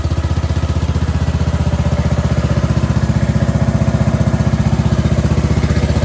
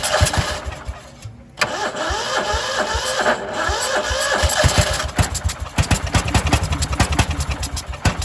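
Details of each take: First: Cub Cadet 2146 lawn tractor, 14 hp Linamar single-cylinder, sat 3 years, after choke repair; steady even thump about four beats a second, no misses or knocks. Normal idle, though fuel leaks from the rotten carburetor bowl. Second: Cub Cadet 2146 lawn tractor, 14 hp single-cylinder Linamar engine, sat 3 years; frozen choke, weak battery, full throttle: starter churns in uneven bursts, then sputtering firing pulses that never settle into steady idle; hard starting.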